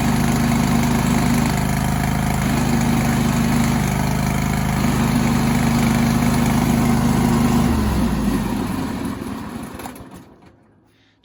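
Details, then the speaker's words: John Deere lawn tractor with 613 hours: the engine idles with a faint whirring chatter about four beats a second riding over it until it winds down; a bad, chewed-up drive belt idler pulley. "if you got one of these John Deere lawn tractors or really any lawn tractor and it makes this kind of noise when you turn it on"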